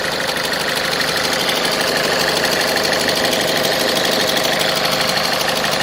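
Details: Ford Fiesta 1.4 TDCi diesel before repair: an even idle with a constant metallic rattle over the clatter that holds steady with engine speed; diagnosed as a defective crankshaft pulley.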